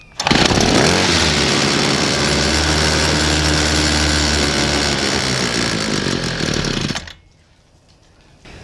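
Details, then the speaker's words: Homelite weedeater two-stroke on half/full choke after priming bulb; catches at once, revs hard for several seconds, then cuts out: fuel not drawn up, suspected carburetor; fixed with new gas tank, hoses and fuel cap. "all right so seems like to me that we are losing fuel in this thing as I prime the bulb and get fuel to it it's starting right up there's no fuel getting uh sucked up to it"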